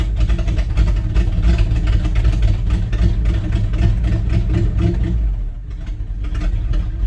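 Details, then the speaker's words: Dodge Power Wagon carbureted engine cold start on warm April morning, choke pulled, gas pumped 4-5 times; rough uneven low rumble settling as choke comes in, dipping briefly near the end, normal cold idle. "So usually I'll let it run like this for not very long, just enough for it to get gas running and all that good stuff."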